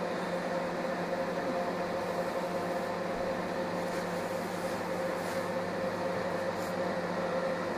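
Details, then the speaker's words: Scarlett SC 291 microwave after repair: it had hummed but barely heated, and the failed relay feeding the high-voltage transformer and the 5 W 47 Ω ceramic resistors were replaced. A steady low hum heating water, no buzzing; water warmed in about 20 s. Repair successful. "Вода нагрелась. Как оказалось, ремонт прошёл успешно."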